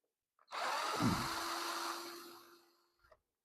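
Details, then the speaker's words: Cordless drill set on low speed with a flat battery pack: thin whirr whose pitch and volume sag over two seconds as it bogs; low battery, drill struggling. "hopefully it speeds up a bit on on this oh it's struggling I'll get in there oh this is painful"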